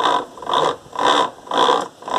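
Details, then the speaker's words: Washing machine during wash agitation: harsh rhythmic squealing scrape about twice a second in step with each agitator stroke, sometimes faint then louder; drive squeal, cause not confirmed. "vamos ver se eu posso mostrar mais ou menos como que funciona esse chorinho com esse barulho esquisito que a máquina faz"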